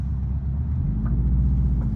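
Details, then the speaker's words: Built 2.5 L block hybrid swap with bigger cams and turbo, just past its 1000-mile break-in. Steady low rumble with an even beat and no tapping or ticking, idling at 1100 rpm with about 20 psi oil pressure: a clean, healthy idle. "So as I was saying, this oil pump is awesome. Right now it's idling at about 20 PSI."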